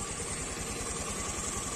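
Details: Honda Beat FI scooter after replacing fuel pump and spark plug and cleaning other parts with petrol: small single-cylinder engine at a quick, regular idle with no misfires or stalls; runs smooth and steady.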